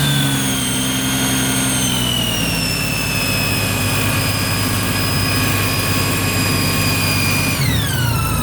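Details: 2008 Honda GL1800 Gold Wing: steady high whine over the engine that slides down in pitch with revs then drops sharply; alternator whine suspected, owner unsure if bad or livable.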